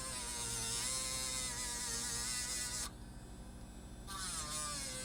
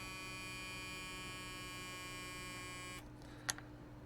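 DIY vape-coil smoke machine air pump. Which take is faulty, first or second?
second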